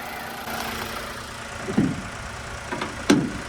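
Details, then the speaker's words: Nissan Magnite (second-top variant) with only 9,000 km, 1000 cc petrol engine, bonnet open: quiet, even idle with no knock or tick, two brief handling bumps; engine runs healthy, normal idle. "ইঞ্জিনৰ sound শুনক 1000 cc হয় আৰু petrol engine হয়"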